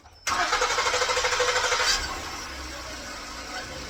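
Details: 2012 Ford Flex towed in after hours for a no-start, no-crank complaint despite plenty of voltage. A brief pulsing crank of about two seconds, then it catches and settles into a smooth, quiet idle: a normal start.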